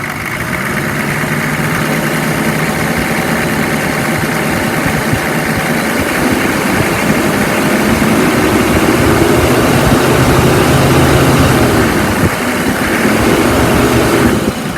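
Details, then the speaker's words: 2002 Chevy 3500 flatbed, 6.5 L diesel, 81,644 miles, sat over 6 months, started on starting fluid, running about 20 minutes without overheating: steady diesel clatter swelling smoothly on revs, smooth idle, no misses or knocks; healthy. "Engine sounds good. Listen, I am not a diesel mechanic by any means, but I uh I will tell you it's idling smooth. It revs up nice."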